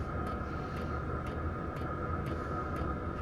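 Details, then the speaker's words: Soft, even fuel-pump ticks about twice a second over a diesel heater's steady fan hum and burner roar, after replacing the loud stock pump with a quieter aftermarket WAYSKA pump; much quieter than before. "it's significantly quieter so I took this thing apart I put it in there and I was I was amazed at how much quieter it was"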